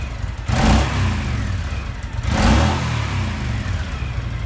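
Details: Honda VTX1300 motorcycle, under 1000 miles in a decade and stored 5 years non-running, after fuel system, tank, lines and carburetor cleaning and new spark plugs: deep twin rumble, two throttle blips, steady idle; fires and runs fine.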